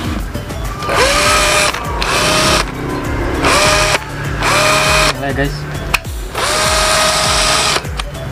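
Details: McCulloch classic 12V cordless drill (stated 285–850 rpm), run on a test 12V battery before fitting a new battery with an added BMS: three short whirring bursts spin up to a steady, even pitch with no grinding, so the drill motor is normal.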